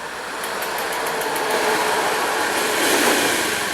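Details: Injected scooter that would not start, running after battery, electrical checks and spark plug refitted; steady, even idle buzz with no stumbles or misses; normal idle.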